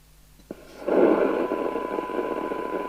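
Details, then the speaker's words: Maxcom 30E CB27/81 UK FM CB radio, after the ceramic filter and the MC3357 FM chip were replaced to fix intermittent deaf receive: a faint click at power-on, then receiver hiss comes straight up; it receives after a power cycle. "So we've got receive at 0.3 of a microvolt there."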